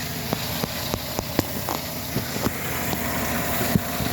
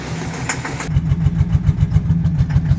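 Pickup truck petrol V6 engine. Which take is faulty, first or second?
second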